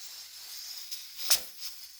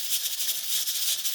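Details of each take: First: Stovetop pressure cooker with weighted rocker valve at full pressure, cooking about five pounds of pulled pork: soft steady hiss with short steam puffs, normal steam venting. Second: Pressure cooker on a stove with heat set too high: the weight rocks nonstop with a fast, hard hissing rattle from excess pressure.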